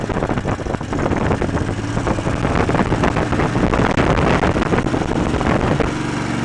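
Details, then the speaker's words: Old twin-cylinder engine after ignition repair restored spark to dead cylinder: uneven lumpy chuff with steady low thump, both cylinders firing, burning off deposits; running on both cylinders. "well I would say that's both cylinders I think that cylinder hasn't run in a while huh definitely burning off all the crap that's around that one"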